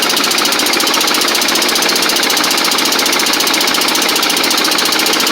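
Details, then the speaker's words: Toro Z Master mower with Kohler Command twin, down on power: loud, choppy, uneven beat about three pulses a second instead of a smooth hum; running on one cylinder, suspected failed 12-volt ignition coil. "and you can hear it audibly too if you listen to it it doesn't have that smooth sound and it sounds like a running"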